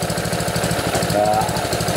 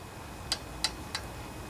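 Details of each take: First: Honda GC160/GC190 pressure washer engine after valve adjustment, with the water pump already bad: a steady, even chug with the valve ticking gone. It is still smoky from overfilled oil burning off. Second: Honda GC160/GC190 pressure washer engine turned slowly by hand with the pull rope: sharp light metallic ticks from excessive exhaust valve clearance; after adjustment the ticking stopped, while overfilled oil made it smoke.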